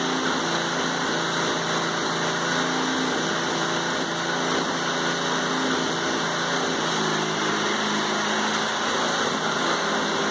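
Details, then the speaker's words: 1980s Honda rototiller, first start in about 10 years after a cold start on the second pull: steady, even hum with no misses, knocks or surges over ten seconds; normal running. "so the old Honda lives up to its name as far as quality started after the yes second pole who knows it may have started after the first pole if I didn't bring the flow pole"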